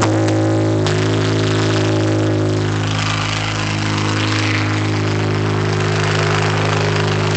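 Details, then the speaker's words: 2008 Honda Civic Si idling in neutral, clutch engaged: a loud, steady droning hum with clear tones that fades when the clutch is pressed; input shaft bearing suspected, not confirmed. The noise also occurs in first gear. "you just hear this I mean horrible sound and um then when I push the clutch in so when I disengage it when I press it down the sound Fades away and someone's saying the way Honda does their input shaft bearings that's a sign that that's bad"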